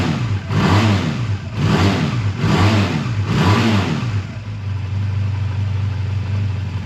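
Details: A 2001 Honda Rebel takes four quick, clean throttle blips that rise and fall smoothly, then settles to a steady idle, after a choked cold start at 22° that stalled once and a suspected minor fueling problem; normal idle and revving.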